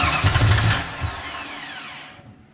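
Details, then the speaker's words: '88 GT V8, first start after a Trick Flow top-end kit and mass air conversion, ignition timing pulled back: engine catches, runs rough briefly, then revs sag and it stalls within two seconds. "not wanting to stay running well then wouldn't you go back the other way"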